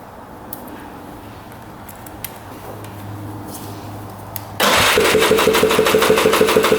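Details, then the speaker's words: 2002 Polaris Scrambler 400 4x4, stored five years, cranking with throttle open during compression test: quick light even beats about three a second with little resistance; about 110 psi, 170 with oil, rings suspected worn. "get right around 110 PSI so compression stayed about the same when we put oil down it it jumped up to like 170 so I think the Rings are probably toast as well"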